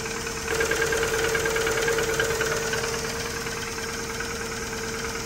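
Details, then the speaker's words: Rover Streetwise with the K-series engine, just bought and first started, idles steadily with a regular light knock about three times a second that calms somewhat. Fresh oil is planned, and the cause is not pinned down. "she's is doing a bit of knock in although she's actually calmed down a little bit there hasn't she"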